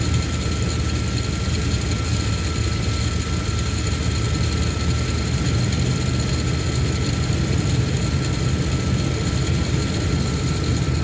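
Engine runs steadily with a constant high whine riding over the low rumble; it sounds like a worn pulley or bearing, though unconfirmed.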